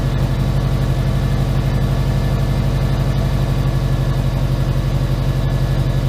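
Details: Subaru Impreza boxer engine with SOHC heads, first start after build, over two years since it ran: idle smoothed out and dropped, steady even beat, no knocks or misses; check engine light on.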